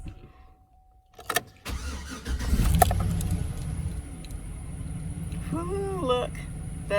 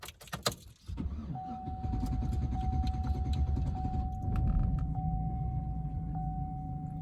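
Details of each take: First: GMC Sierra pickup, about 255,000 miles, P0420/P0430 catalyst codes, crank after battery terminal disconnected 10 minutes to clear codes; starter turns briefly, engine catches at once into steady idle; check engine lights all off; normal start. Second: Truck with about 255,000 miles, check engine light on, owner suspects a clogged catalytic converter: a sluggish, labored cranking drone struggling to pick up speed before catching; slow cranking, cause unknown.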